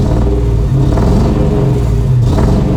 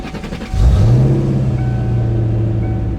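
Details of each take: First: Car idling, then revved: low, uneven, lumpy rumble with vibration, lack of power and dropped fuel economy; a rough idle and misfire from bad spark plugs and wires. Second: Petrol car engine after replacing spark plugs and wires to cure a misfire: it catches, flares briefly, then settles into a smooth, steady idle with no misfire.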